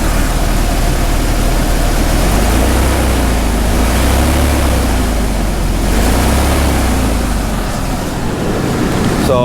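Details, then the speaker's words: OBS Ford truck: revs up with an uneven, wavering pitch and a stumble as throttle is applied; hesitation on acceleration, owner suspects the idle control valve, with the fuel pressure regulator and throttle position sensor also considered. "you can see it has like a little hesitation and when you give it some throttle oh you can see the wobble it has like a little hesitation right here"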